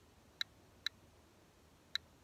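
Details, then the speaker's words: GQ GMC-500 Plus Geiger counter with two Geiger-Müller tubes: three sharp, isolated clicks in a few seconds over a quiet background. This slow, random count is normal background radiation. "picking up a little background there but nothing too crazy"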